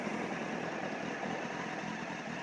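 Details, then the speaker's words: 2007 Honda CBF600 NA (PC38) inline-four, idling just after start: fine even rattle mixed into the engine noise, the clutch plate/basket rattle well known on these Hondas, considered harmless but annoying. "the thing that is really annoying me on this bike is the rustling of the crotch plates it is something well known to these Honda's that they had that and it's nothing bad but it kind of annoys me you can actually hear it"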